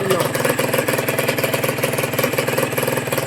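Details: Honda NSR150 RR-W two-stroke freshly rebuilt, may still need tuning once fitted to the bike: crisp, even pop-pop at a steady pace without hunting or faltering; normal idle.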